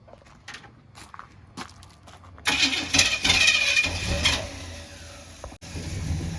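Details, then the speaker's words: 1978 Chevy RV engine: catches after a few clicks, then runs unevenly with surging and a sudden dip, black smoke, trying to die, especially when put into gear; rough running, nearly stalling, cause unknown. "it doesn't sound good at all black smoke everywhere it's trying to die and it does it when you put it into gear"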